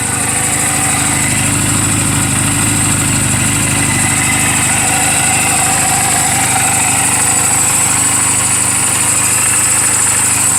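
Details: 2007 Honda Rebel 250 single at 11,456 miles, idling in neutral just after a valve clearance adjustment: a steady, even idle with a smooth quick beat and no ticks or knocks. Sounds healthy and well adjusted.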